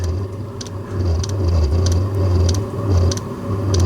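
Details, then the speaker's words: Diesel heater carbon-clogged after a night on used HV46 hydraulic oil, relit on diesel settings; it had flamed out before with the glow plug running. Fuel pump just started: uneven rumble surging and sagging, sharp tick about every 0.6 s, some smoke. Rough running. "Right, she's just started pumping fuel. It's not sounding great, but it's lit."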